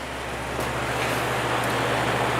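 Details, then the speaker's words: Patton U2-1272 12-inch fan with 1.3 A rated motor starting on low: low steady hum with no knocking, scraping or wobble; very strong. "we'll start with low very strong for a 12in"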